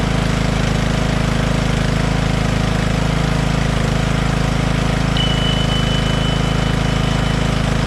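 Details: Poulan PXT12538 lawn tractor started after heavy rain, with the fuel shutoff reopened, gas added and oil checked, gives a steady, even single-cylinder thump of about three beats per second with no misses or knocks; nothing wrong with the tractor.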